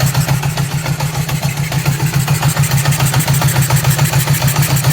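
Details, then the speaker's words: 1978 Honda CB750K four-cylinder being restored, barely running with fuel leaking: lumpy idle pulsing about 3.5 times a second with faint airy hiss, carburetor sucking air; covering one carb intake kills it. Sounds like only two cylinders firing; vacuum leak suspected. "can hear the carburetor sucking air right now. And I killed it just by covering one of them. It doesn't sound very healthy. In fact, it sounds like it's only firing on like maybe two cylinders."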